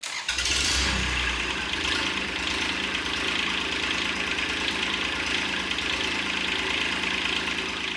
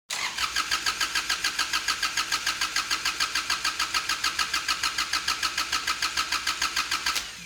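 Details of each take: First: Kubota D722 diesel swapped into a Saturn SC1 coupe, first start after the injector pump lost prime and was re-primed: brief crank, then catches and settles into a steady, slightly clattery idle with no misses; normal start. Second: Kubota D722 diesel swapped into a Saturn SC1 coupe, starter hotwired: even cranking about three and a half turns a second for seven seconds without catching; the injection pump lost its prime and needs time to pressurize.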